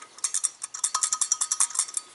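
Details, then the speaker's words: 1999 Ford F250 5.4L with surging/rough idle: removed EGR valve shaken by hand gives loose bright metallic rattle as the pintle floats freely; owner suspects broken or missing spring, valve to be replaced. "hear the pencil in there you can blow through this it's pretty much free flowing but in this position the Pendle is basically uh floating up and down"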